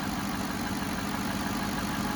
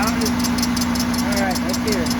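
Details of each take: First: 2007 Cadillac DTS Northstar engine after power steering pump replacement (coolant had leaked on the belt): steady even idle, smooth low hum, no chirp or squeal, everything normal. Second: 2007 Cadillac DTS at idle: quick repeating chirp about three a second over steady hum; confirmed power steering pump, suspected metal piece stuck inside from its rebuild, pump to be replaced.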